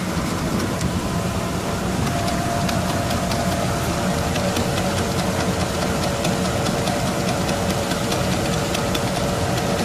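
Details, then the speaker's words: 2003 Dodge Durango, heard from underneath at idle with brakes pressed so the wheels strain to move: quick regular clicking, silent with wheels raised; worn driveshaft CV joint, fixed with a Dorman 932-303 rebuild kit. "When you press the brakes a little and the wheels are trying to move, that's when you hear the noise."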